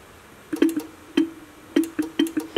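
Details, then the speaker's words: Mitsuba horn from a 1965 Honda S600 on a 12 V bench supply, top cover refitted during restoration: short, choked buzzy taps around 300 Hz that never become a full note. It seems to pull the magnet down; a sliding piece with spring underneath is suspected. "it sounds like it's pulling the magnet down"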